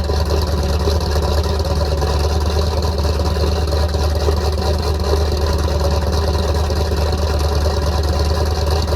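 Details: 334 small-block Chevy V8 after break-in and oil change: deep, even rumble at steady idle with no tapping or knocking; still needs a little tuning; normal idle.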